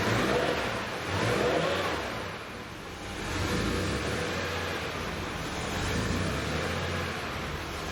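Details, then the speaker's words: 1976 Porsche 911 Carrera 2.7 L, after hard-start electrical fix, leak-downs 10% all cylinders: engine speed swells and sags every couple of seconds, an idle surge; valve adjustment and service still due. "right up this morning it is surging that a different issue"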